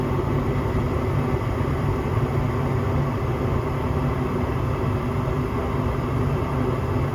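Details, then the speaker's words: Home gas furnace after cleaning the dirty flame sensor (flame rectifier): steady low rumble of burner and circulating blower, no cutting out or surging; flames good, short cycling fixed, normal operation. "There you go. Flames look good. Short cycling fixed. All I had to do is clean up that rectifier."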